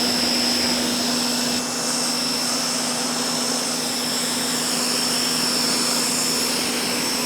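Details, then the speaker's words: Ryobi 1600 PSI electric pressure washer spraying stucco house with medium nozzle: loud steady high-pitched whine over constant hum holding one pitch; annoying to the ear but normal operation. Normal pump whine. "another thing that I've noticed my first impression of using it that wine if it's coming across on the microphone as much as it is to my ears is pretty annoying"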